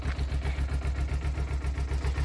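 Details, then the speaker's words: Kawasaki Ninja 250R cold start at about 1.5°C engine temperature, no choke: even, low pulsing idle about eight beats a second, slower because cold but steady with no knocks; normal cold idle. "obviously, it idles slower because it's cold. You can put a little bit of choke or just wait for it to warm up."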